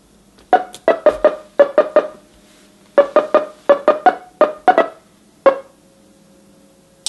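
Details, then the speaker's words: A customer's NuTone LBC55 electronic musical door chime, before repair, plays the Westminster chime as plucky notes in uneven bursts over a constant buzzy tone. The melody is garbled and the chime is faulty. "I can promise you that's not what a Westminster chime is supposed to sound like on an LBC 55"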